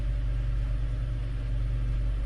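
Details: 2018 Hyundai Elantra first startup after repair of top-end rattle and stalling traced to oil pressure dropping to 5 psi downhill: steady smooth idle with no rattles, oil pressure about 84 psi at 1300–1500 RPM.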